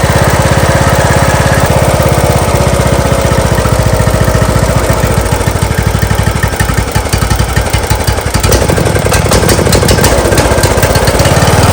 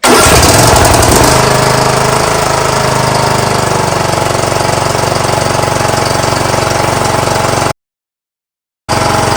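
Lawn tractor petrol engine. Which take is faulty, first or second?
first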